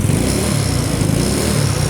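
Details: Carbureted scooter (Mio Soul/Sporty/Beat/Vario type), previously sluggish and hard to start, now revving cleanly with even firing and no popping after the worn, sagging vacuum slide needle was shimmed up; throttle response restored.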